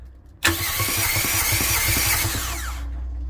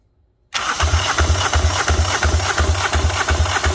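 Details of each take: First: Fischer Panda marine generator on a Tiara 34 boat, about 40 hours on it, heard from the engine compartment while cranking: starter spins fast and even with a light whir, no compression pulses; internal failure, metal visible in the oil. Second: Fischer Panda marine diesel generator from a Tiara 34, found dead, cranking on a stronger battery after a weak jumper box failed; even, strong compression pulses with exhaust pushing out and no misses, indicating good compression and a good motor.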